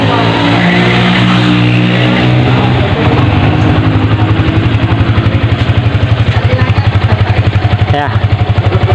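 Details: Vixion motorcycle, single cylinder, after piston replacement with an oversize 25 bore to cure a rough, diesel-like engine: revs up cleanly and settles to an even beat with no knocking or clatter; normal running.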